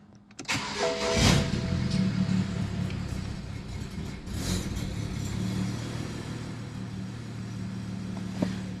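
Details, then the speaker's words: BMW E90 335i N54 after a metal water pump install and with upgraded turbos, on the hoist: starts quickly then idles unevenly and stumbles; owner suspects a leaking index injector, cause unconfirmed. "bit of a rough idle which makes me thinking it may have a leaky injector these are index ones anyway"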